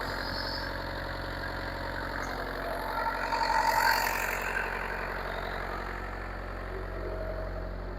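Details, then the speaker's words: Bobcat 334 excavator diesel idling after an oil change with a new filter and about 8 quarts of oil: steady, even idle with a smooth regular beat, no knocks or rattles, no leak; normal idle. "Make sure the oil pressure is coming up. Sounds good. No leak."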